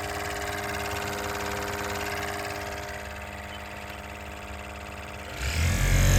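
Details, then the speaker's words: Lexus GX470 dash blower before repair, climate control on: loud, steady whooshing roar with a low rumble like a plane taking off. A squirrel or mouse nest was obstructing the blower and was later removed. "I'll go ahead and go over what this thing sounded like before, when I would turn on the climate control. It literally sounded like I was about to take off on a flight."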